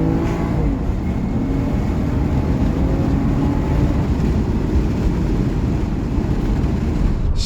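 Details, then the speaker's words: 30-year-old right-hand-drive Toyota Soarer twin-turbo, automatic, overdrive off, power mode on, foot to the floor from a stop light: loud, steady deep roar, even and strong with no misfire or rattle; engine pulling normally. "it's not super fast but think about this this car is 30 years old it's really fast for being 30 years old"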